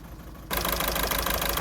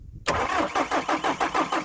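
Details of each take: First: 2009 VW Golf 1.6 TDI (CAYB, 90 hp) with codes P0203 and P0606, idling on three cylinders: a lumpy, uneven beat with a missing pulse. The cylinder 3 injector failed, and unplugging it changes nothing. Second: 2009 VW Golf 1.6 TDI (CAYB), first start after replacing a faulty injector (P0203, P0606), fuel pump primed several times: about three seconds of even cranking, then it fires and settles into a smooth idle on all four cylinders.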